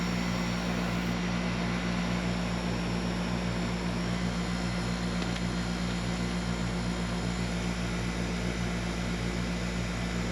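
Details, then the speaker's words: Heat pump outdoor unit after maintenance (coils cleaned of dirt and cobwebs, work verified with a meter): a steady, even low hum with a smooth fan whoosh and no rattling. It runs normally and much quieter than before. "It actually sounds like the unit is running a whole lot quieter than it was before."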